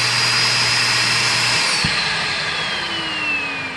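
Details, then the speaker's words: 2006 SEBO Airbelt K2 vacuum cleaner on the low setting during a suction test: a high motor whine holds steady, then a sharp pop as the suction relief valve opens near 70 inches and the pitch sags; normal relief valve opening. "Okay, we're in low. So 30 something. And here we go. So as it gets close to 70, it pops."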